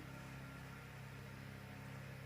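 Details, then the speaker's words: AC fan motor salvaged from a broken room heater, bench-tested on a variac at 200 V AC, below its 220 V nominal, very quiet and only now audible: steady even hum, low mains buzz, no rubbing or grinding; bearings good, normal running. "because this one is really quiet we can't hear nothing so we'll go 200 volts now you can start to hear it so we're at 200 volts AC"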